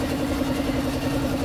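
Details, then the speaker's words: Engine after rebuild with a new forged connecting rod, fixing piston slap and a worn connecting rod: quick, even idle beat with steady mid tone and no knocking or slapping; quiet, smooth bottom end; normal idle. "alr bua na all good na kaagad tahimik tahimik ayos okay na to guys"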